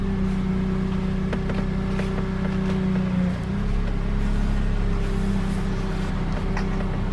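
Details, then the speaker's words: Honda (Accord-type) power steering after thorough air bleed, engine running, wheels on ground turned stop to stop: smooth pump hum, no groaning, whining or gurgling; good power assist. "Okay, now the test is to turn it right and left. A couple of times, stop to stop, don't hold it. Should turn smoothly. Good power assist."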